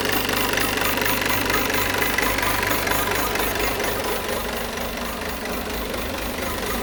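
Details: Peugeot 508 2.0 BlueHDi 180 hp diesel at idle with a regular clattering tick about twice a second; abnormal noise, source unclear.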